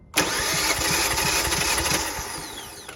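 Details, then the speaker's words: 2018 Kia Forte compression test, coil packs disconnected: steady even cranking about three beats a second, no skipped strokes; cylinder reads just above 180, good compression. "So, we got 180 on this one as well. It was It was just above 180."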